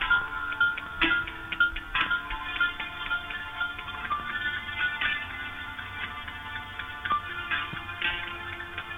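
Thin music feed broken by sharp, irregular pops and clicks every second or so; crackle from the intercom's multi-way link.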